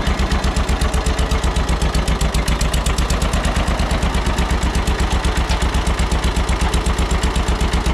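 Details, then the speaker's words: John Deere 630 tractor started after sitting in a barn, good oil pressure: rough idle with a sharp even tick about four times a second in step with firing; suspected exhaust manifold leak. "Sounds like we got a little bit of a ticking noise, too. Could be a manifold leak."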